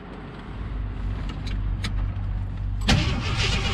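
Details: 1977 Jeep CJ7 Renegade that sat 9-10 years cranks with a firm chug and fires after its ground cables were suspected; starter working normally, engine starts on its own without fuel prime.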